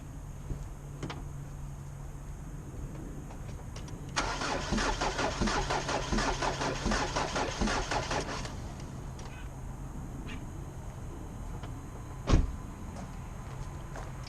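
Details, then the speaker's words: 2005 Jeep Liberty CRD common-rail diesel cranking with all injectors disconnected: uneven, limping rhythm at about four beats a second with one cylinder weak. Pressure escapes through a tube, so the owner suspects an intake valve stuck open or a jammed rocker arm. "missing on one of those cylinders so we gotta tear into it and figure out why that intake valve i believe it's the intake valve uh one of the cylinders is not uh closing over"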